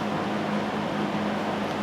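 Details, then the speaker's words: 1971 Lakewood/Country Aire P-23 box fan with McMillan motor, blades now mounted at the proper distance: steady, even low hum with a soft airy rush and no ticking or wobble. Normal running, smooth. "as you can hear it runs nice and smooth"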